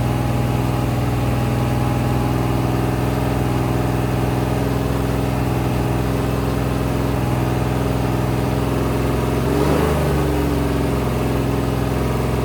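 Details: Rebuilt 426 Hemi crate V8 (new heads, intake, pistons) on a run stand during flat-tappet cam break-in, about 15 minutes in at roughly 210°: steady, fast, even high-idle drone, no knocks or ticks; clean, healthy break-in.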